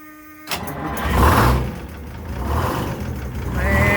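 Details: Detroit Diesel 6-71 two-stroke diesel in an International Harvester truck, corroded battery cables noted: cranks and catches after half a second, then a loud, gruff steady run with no knocks or misses; normal cold start.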